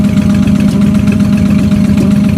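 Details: Ford Mustang at idle: a fast, even tick riding over the rumble; owner unsure whether it is rod knock or an exhaust leak; knocking at idle, cause suspected, not confirmed.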